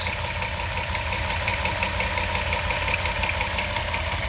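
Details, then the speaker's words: 2009 Dodge Grand Caravan SE with the 3.3 V6; steady idle, fairly quiet, with a light fast ticking over an even hum, slight timing chain chatter described as normal for the 3.3, otherwise healthy. "look at that power through three pretty quiet two normal little timing chatter that all three three has on them three three three eights"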